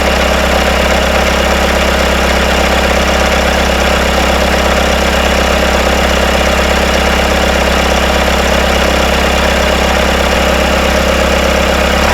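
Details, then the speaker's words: Rebuilt Isuzu 4BD1T diesel in Hitachi EX120-2 excavator, first start and break-in, intake off, idling: loose metallic rattle from rear, suspected loosening bolts; after tightening, no rattle at about 1250 rpm. "I hear some rattling coming from the back I think the uh these bolts are coming loose let me tighten these up"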